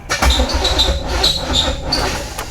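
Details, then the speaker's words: C4 Corvette V8 fitted with new dual Edelbrock carbs runs an uneven, lumpy, surging fast idle, idled up too high; suspected flooding or timing, oil pressure 60; rough idle. "Well, I was hoping for more than that, man. Uh she definitely doesn't sound uh she doesn't sound very happy. It is just idled up way too high."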